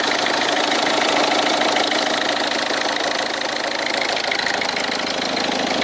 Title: Bruit moteur